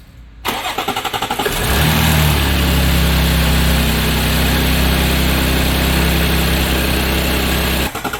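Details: Audi 3.0 TFSI supercharged V6, cold start: catches and settles to fast cold idle with steady metallic rattle about four per second; timing chain rattle believed from lost hydraulic pressure in one or more chain tensioners.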